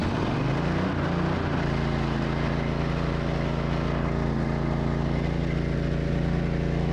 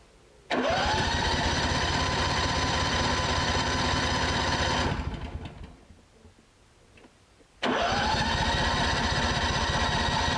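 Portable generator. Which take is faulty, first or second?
second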